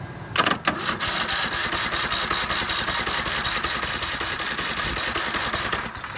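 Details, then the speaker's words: Troy-Bilt mower starter clatters and whirs unevenly for several seconds with spark plug removed, engine never catches; starter had tested fine but fails under load. "Are you kidding me? And I tested that starter, guys. I really tested that starter."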